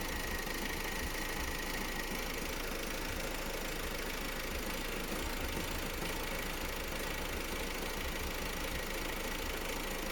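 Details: Opel Astra J B16DTH diesel with only 55,000 km at idle, rough uneven clatter with faint knock-like beats, engine running strangely; cause unclear.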